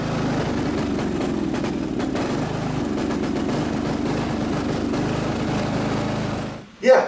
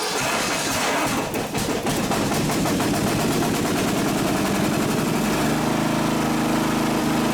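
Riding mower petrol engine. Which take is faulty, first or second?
first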